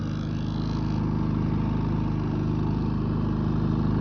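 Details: Predator 3500 inverter generator after oil, spark plug and air filter change, choke on run, no load (0 amps): settles into a steady, even hum, constant pitch, no misses or knocks; normal running.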